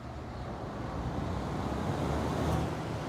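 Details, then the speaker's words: 1980s GE Thinline window air conditioner, pre-restoration, on power saver fan setting: steady air rush over low hum, no knocks or rattles; fan runs normally. "oh even the power saver works on fan okay a little fan"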